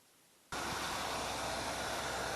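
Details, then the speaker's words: 1968 Pontiac Grand Prix at idle after replacing the heavy-duty fan clutch with a standard unit: steady, even fan whoosh with no wobble or flutter, much quieter than before; new fan clutch sounds healthy. "all right now as you can hear it's doing very well it's not wobbling or anything like that so it's good and tight it's a lot quieter than it was"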